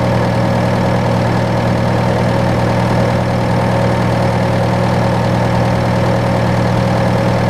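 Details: John Deere 6115M diesel tractor (about 3 years, under 1000 hours) idling after rubber fuel line replacement and electric-pump priming; steady, even idle with deep constant hum, no knocks, misses or surging; normal idle.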